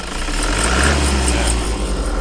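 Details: Toyota Fortuner diesel, about 170,000 km, loud front-of-engine noise, no warning light at first: steady idle with a thin metallic scraping shimmer on top; alternator overrunning pulley clutch noise, checked via charging output.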